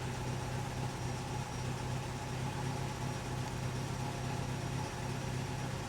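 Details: Recently rebuilt 1964 Triumph TR4 four-cylinder petrol engine idling after the old rotor was swapped for a new one, cylinders checked on a Snap-on Counselor II scope: steady even low hum, no misfire stumble; normal idle.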